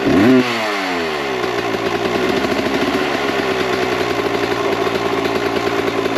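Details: 1998 Kawasaki KX125 two-stroke on its rebuilt OEM carb with stock jetting, believed to be 42 pilot / 160 main: crackles up through a blip, then settles to a burbly, uneven idle that won't clean up, smoky; too rich, so jets go down to 38/158.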